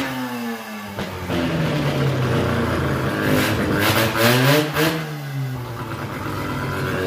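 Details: Freshly rebuilt rotary engine for a Ford Ranger swap, first test run on its existing carburetor, coil wiring not quite finished, burning two-stroke oil. Revs climb and fall with a buzzy, slightly uneven note but it keeps running cleanly, so it runs okay but needs more tuning.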